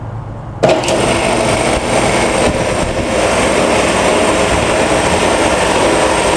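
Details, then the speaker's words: Air compressor first start-up after oil change to synthetic compressor oil, filling tank from empty with drain valve closed: abrupt start, then steady rapid pumping chatter holding as the tank fills; normal start-up. "here we go first start up with the synthetic air compressor oil"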